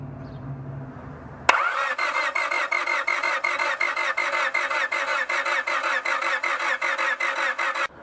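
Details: Honda Civic crank no-start: even starter cranking at about two and a half beats a second with no catch or firing; test light at the coil shows only a tiny intermittent spark, no proper spark.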